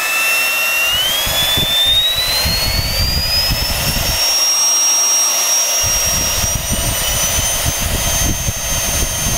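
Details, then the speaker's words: Small motor from a generic Chinese "Gale Force" cyclonic vacuum cleaner, run on a variac: loud high whine climbing smoothly as it spins up, no crunch or rumble; bearings still fine, just a noisy motor. "noisy little bastard i've never had him like this before bearing sounds still all right in it you can usually hear that horrible crunchy noise when they're starting to go"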